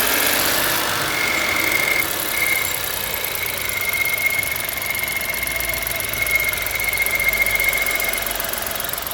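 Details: 1.0 petrol car idling, only when warm, not when cold: thin, steady high whistle over the engine, coming and going slightly; source not identified.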